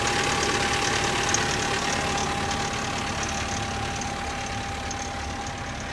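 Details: 1985 Toyota 22RE petrol engine cold idle, timing chain replaced: fast, fairly even rattling knock about four a second; owner suspects loose timing chain, unconfirmed.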